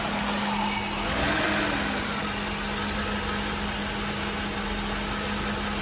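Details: 1989 Mercedes-Benz 560SL V8 idling rough with an irregular stumble, worse in gear under load, smelling of fuel; a leaking cold start valve floods it rich, with heavy exhaust.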